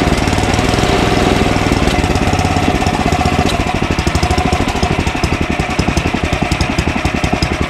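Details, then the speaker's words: Ariens ST1128 28" two-stage snowblower, 11HP Tecumseh Snow King single-cylinder, cold day, electric start without adding gas; steady chugging with slight speed sag and swell, mild surge; owner suspects buildup in pilot jet, carburetor cleaning planned. "hey so how about that huh we did nothing to put gas in it and it starts and runs uh surges a little right"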